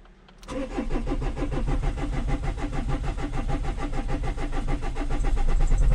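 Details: Renault Espace 3 2.2 dCi with 12 L of oil in the engine, starting attempt with starting fluid and new battery: starter cranks about 3.5 beats per second, engine tries to catch but stalls; white smoke, head gasket failure confirmed.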